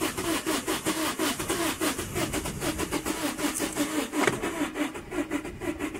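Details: 2008 Vauxhall Combo, no fault codes, cranking on the clutch: steady rhythmic cranking at about four beats a second that never catches; fuel pressure read 0 kPa while cranking and the scan tool lost comms with the engine PCM.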